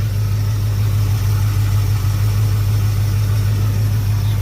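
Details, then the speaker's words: 1985 Chevrolet Suburban V8, sat four years, started with carburetor cleaner sprayed in, power steering pump low on fluid: a steady, even low idle rumble with no knocks, misses or squeals; idles normally. "good. Pretty good. Pretty good."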